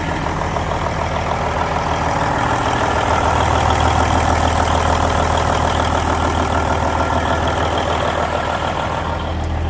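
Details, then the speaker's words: 1999 Kenworth W900L with a mechanical N14 Cummins diesel on a cold start: even, regular clatter at a steady idle of about three beats a second, no misses or knocking; a healthy engine. "oh let's roll boys let's roll oh she's good she sounds good"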